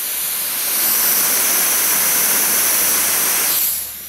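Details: Logitech Z333 2.1 speakers, left speaker playing mono white noise: a loud, steady, even hiss at full strength that then drops away; this channel reproduces the signal properly, while the right speaker is much quieter.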